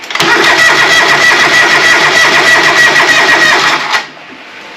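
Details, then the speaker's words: John Deere 425 after new spark plugs, air filter off: catches and runs unevenly about four seconds, then dies abruptly. Fuel starvation from the carburetor fuel cut-off (afterfire) solenoid; replacing it fixed the engine. "so we got something going on in the carburetor that I think I'll go get some tools and pull the top off here"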